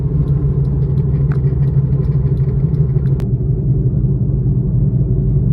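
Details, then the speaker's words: Saturn Vue on a test drive: loud low "wah wah" rumbling growl from a really bad wheel bearing, most likely at the front. "So now you can hear that wah wah wah wah. It's really loud, really bad."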